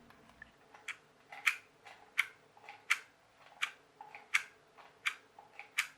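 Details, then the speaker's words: Rastar 1/24 Mini Cooper 27 MHz RC car after disassembly and reassembly: light, sharp clicks about 83 times a minute over a faint motor whir; a broken gear tooth in the gearbox, the same clicking as before disassembly. "it's still making the clicking noise it was making before I took it apart I didn't film it before I took it apart but it was making that noise"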